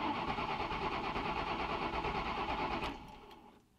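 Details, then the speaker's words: Engine cranking over after a fresh oil change, cranked to build oil pressure; fast, even, strong cranking at about three turns a second, normal. "that's a good strong crank so I'm just cranking this little you know the oil could go through because I put I put fresh oil"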